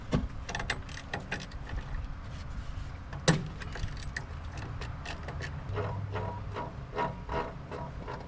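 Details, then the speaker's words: 1962 Kenworth W900A with 855 Cummins, long abandoned, turbo spun by hand before first start: uneven scraping and ratchety ticks instead of free spin, the turbo wheel is hitting something. "It's definitely hitting on something. I also feel like this ought to be fixed before we even start this."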